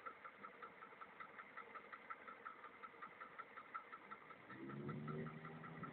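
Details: VAZ 2103 engine idling with a steady light knock about three per second over the rumble. The owner asks whether it is normal; cause unconfirmed.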